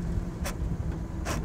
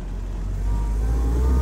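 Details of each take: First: 77-year-old Willys Jeep first drive, slow speed: low drivetrain rumble with two harsh crunches downshifting into second without double-clutching; worn transmission synchro rings. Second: A 77-year-old Willys jeep on its first drive, carb not fully set up, pulls and eases off smoothly over road rumble; no clunk from the diffs, prop shafts or transfer case on and off power, so the driveline is healthy.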